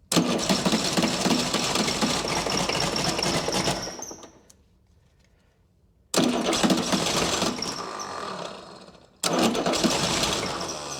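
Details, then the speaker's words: Chrysler diesel (rebranded Mitsubishi 6DS70 marine six), sat years in a barn, first start: runs lumpy, dies, restarts; no fuel yet at sixth injector, so misfiring, and the injectors need cracking loose and re-bleeding. "yeah they were to crack all the injectors loose again try to re-bleed all the injectors a little bit better"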